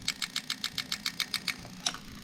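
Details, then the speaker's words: Lexus 1UZ-FE non-VVT-i V8 harness (LS400 92-94) on a test half-cut for an IS200: camera close to the injectors at low RPM, crisp evenly spaced clicks; normal fuel injector clicking. "So I'm going to get the camera in pretty close and you should be able to hear the injectors actually clicking. Okay, so we got it on quite a low RPM, so you can hear them clicking distinctly."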